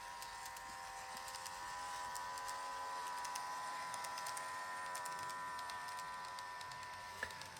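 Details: Kato 521 series model train: a steady, fairly high motor whine with faint ticking and no effect on performance. The noise has returned despite oiling three times; motor bearings suspected.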